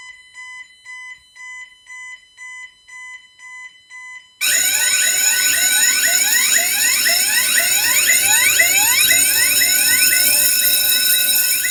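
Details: Bentley Symphony 2 burglar alarm demo board: about eight short even mid-high beeps, then a loud warbling tone sweeping back and forth between the two speakers, before engineer reset; entry tone.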